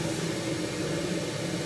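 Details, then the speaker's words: 1974 HydroTherm gas-fired hydronic boiler, first firing of the season after vacuum cleaning, pilot kept lit year round: steady even low roar with faint hum, no popping or pulsing; burner firing cleanly and normally. "is firing nicely, so that's good for a change."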